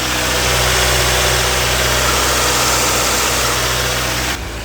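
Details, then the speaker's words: Miata abandoned in a field over 10 years, now running after a spare used fuel pump replaced the bad one: steady, busy petrol idle with an even pulse, no knocking or stumbling; healthy normal idle. "we have it, boys. A Miata that was abandoned for many years is now up and running and save another Miata."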